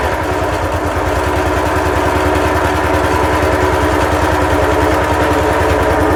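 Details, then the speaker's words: Petrol-engined plant machine (likely road saw) just bought, first start on choke: steady running with a thin whine, blade shaft bearing suspected worn or dry, possibly needing grease. "That does sound a bit whiny like this bearing gone or going or wants greasing."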